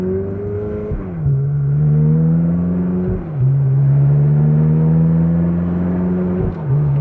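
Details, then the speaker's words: Ferrari with installed track exhaust, on a test drive after all brakes were bled; deep smooth exhaust note rising steadily through each gear and dropping cleanly at shifts; healthy engine cruising. "And because we installed the track exhaust, it's a whole experience, guys. Even just at 3,000 revolutions per minute, just driving calmly, it's really such a cool thing, really."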